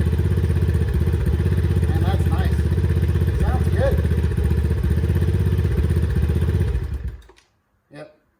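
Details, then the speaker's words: Eton Viper 70 4-stroke 70cc ATV, about 2009, choke off: smooth idle at about four beats a second, then abrupt stall with no battery fitted, since the CDI needs a battery; starts right up, normal idle. "But it runs, starts right up. That's perfect."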